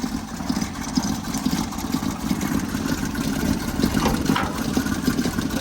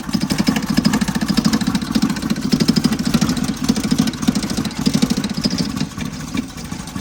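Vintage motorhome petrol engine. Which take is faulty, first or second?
second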